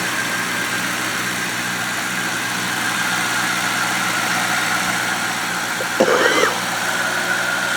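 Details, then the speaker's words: Town Car V8 idling; it goes into gear with no problem. A steady, even idle with no knocks or misses and a faint constant hiss. Healthy, normal idle. "so the car's got three keys in it so car's running like a champ"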